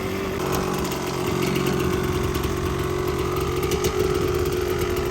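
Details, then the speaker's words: Yamaha Tri-Z two-stroke three-wheeler barn find after a compression test, carb clean, and new CDI and coil: steady, even idle with a crisp buzzy note and no misfire, running well; exhaust pipe sounds slightly loose. "She's running pretty good, boys. Sounds like the pipe a little loose."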